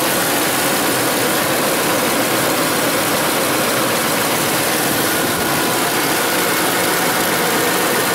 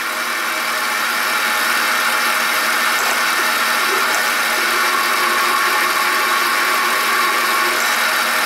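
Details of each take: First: Ford F-150 after replacing the noisy pulley: steady, even idle with no chirp, squeal, growl or rattle from belts or pulleys; normal idle. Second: Ford F-150 belt drive growl at idle, pulleys checked with screwdriver as listening probe: steady raspy growl with gritty hiss close up at the belt tensioner pulley; tensioner pulley bearing worn.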